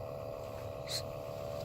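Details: 2013 Toyota Prius C cabin blower motor, nothing found stuck inside: steady whirring drone with a held mid-pitch tone and no knocking; worn, noisy blower motor, later replaced with a new assembly.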